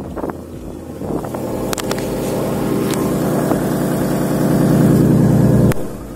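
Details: Lexus GS300, revving after exhaust bolts re-tightened with an impact wrench using old washers: fast sharp ticking puff about three per second on the exhaust note persists; exhaust leak not fixed, engine and VSC lights on.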